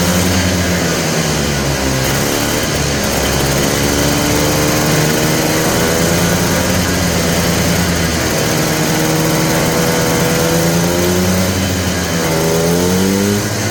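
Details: Polaris Trail Boss 250 two-stroke, just revived, choked: stumbles and surges unevenly at low speed, never settling. The owner suspects the carburetor idle circuit is still plugged and plans more carb work.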